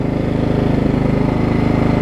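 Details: Craftsman riding mower with Kohler Command single-cylinder engine, over 20 years old, after refitting a wrongly routed deck belt that had locked the engine: steady, even putter at constant speed with no knocks or misses; normal healthy running.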